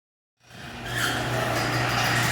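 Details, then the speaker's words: Garage door opening before lubrication: steady opener motor hum with scraping, screechy noise from dry, dirty hinges, fixed by spraying the hinges with garage door lubricant. "this one was really dry and had some dirt in the hinges so what we did is it went through sprayed all the hinges down and then lifted the door up manually giving each panel a chance"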